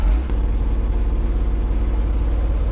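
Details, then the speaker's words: 1985 Chevy C20 V8 pickup, abandoned in storage 20 years: deep, steady, even idle with no misses. This is normal running after loose carburetor bolts were fixed, many vacuum leaks capped and the California emission equipment removed. It sounds much better. "Yeah, it took all the California emission stuff off. Did you? Yeah. That's running a lot better. Sounds much better, doesn't it?"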